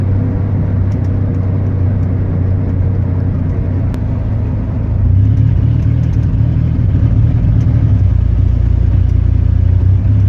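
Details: Chevy 4.3; deep, uneven rumble with an irregular stumble in the firing rhythm and no smooth beat, engine misfire.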